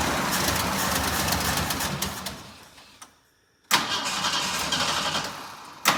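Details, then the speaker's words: Jeep J10 after carburetor rebuild and gas tank reinstalled, cold, choke not working, fuel poured into carburetor, weak battery; long rough cranking about three turns a second without catching, hard start. "We'll give it one more shot here. Put a little more fuel down to the carburetor here."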